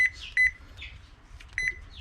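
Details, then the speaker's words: Toshiba washing machine control board that shuts off when the power button is released: short high beeps on each press, then dropout on release with no relay click; relay supply suspected missing. "ได้นะปล่อยมือดับเลยนะครับโดยที่ไม่ต้องปิดเครื่องนะก็กดแค่นี้ก็สังเกตได้นะครับว่าตัวรีเลย์มันไม่โตนะครับ"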